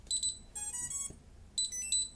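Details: STM32 drone flight controller (MH-FC V2.2) booting with throttle stick and SwA in safe position: short high double chirps, a rising run of tones, then more double chirps; normal startup beeps, main loop running.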